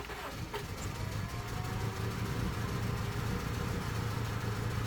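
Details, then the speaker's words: 1998 Honda CR-V EX-L, unused six years, with new gas and fresh fluids, OBD showing misfires on all four cylinders: lumpy, uneven idle with stumbles that bucks and dies without throttle. Rough idle with misfires; spark plugs are suspected, not confirmed. "with the gas it is helping but still can't get it - um I don't on its own without my foot on the gas and now the RPM is slowly dying now there's bucking and dies that's the issue I'm having"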